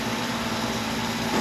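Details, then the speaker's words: Garbage disposal after steel screws jamming it were cleared and the overcurrent reset button pushed: steady, even motor hum with no grinding or stalling, building slightly at the end; running freely again. "run your garbage disposal, and you see that it is running perfectly fine again."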